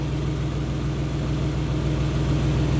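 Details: 2002 Isuzu Trooper LS 3.5 V6 6VE1 with 4L30E, after alternator replacement fixed stalling and drivability issues: smooth steady low idle, even beat, no knocks, misses or whine; normal idle.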